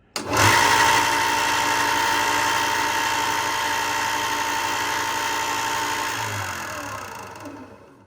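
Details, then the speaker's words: Ryobi 4x36 bench top belt sander after bearing replacement to cure a clicking noise: steady, even motor hum with clear mid-pitched tone, no clicking or grinding, then smooth spin-down; running normally. "It sounds like it went away. This thing was never very quiet to begin with."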